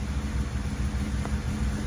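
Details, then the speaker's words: Honda B20-swapped EG Civic with an ongoing hesitation issue; low idle drone pulses and wavers unevenly instead of holding steady, rough idle that was fine the night before; cause not yet identified. "well unfortunately it still runs like it wasn't idling like this last night I was working fine I what is wrong with this car guys"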